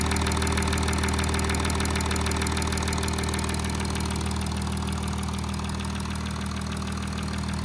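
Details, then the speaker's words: Audi A8 3.0 TDI DDV diesel, about 30K and 6 years old, at idle: a fast, fairly even high-frequency tapping, about three per second, from bank 1, cylinders 1–3. "There's a tapping noise, high frequency tapping noise coming from this side."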